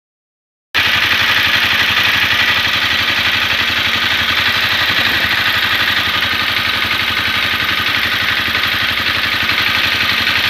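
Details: Honda CBR250R single, warm after a 15 km ride: a quick, even ticking of about four per second at idle; shim or cam chain tensioner noise suspected, not confirmed.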